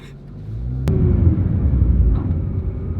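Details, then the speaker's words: Tuned 2013 Nissan GT-R Black Edition (3" intakes, ID1050x injectors, 3.5" downpipes, 3" midpipe): two sharp, hard drivetrain clunks over a deep engine rumble; normal dual-clutch gearbox clunks for a GT-R. "you hear all of the clunks this gearbox makes it's insane this is not a car for the faint of heart I think I would have a hard time driving this all the time I'd probably just panic and all the noises I know it's okay the internet has taught us this is what GTRs are supposed to sound like"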